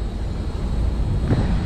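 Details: LG Multi V condensing unit, earlier fitted with new power board, fan board and condenser fan motor, about 90°F day, suction line cold: steady even low rumble of fan and compressor, no knocking or cycling; running normally.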